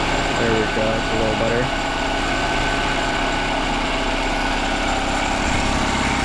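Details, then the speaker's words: Older Honda 7.5/10hp four-stroke outboard (non-CDI) after replacing smashed bottom spark plug with a correctly gapped one and turning idle down: smooth, even idle, both cylinders firing, no misses; normal healthy idle. "All right, with that new plug, it's sounding a lot better, but now it's idling too high because it was running on one cylinder."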